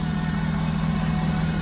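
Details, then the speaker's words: Auction-bought diesel work truck, emissions not deleted, just started: starts right up into a steady, deep idle with an even low rumble and no knocks, misses or rattles; engine sounds healthy. "So let's start her up, listen to the engine. Starts right up. I think she sounds good."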